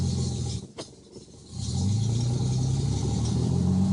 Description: Truck surges while in drive, revs as soon as it's taken out of a driven gear, then finally calms down.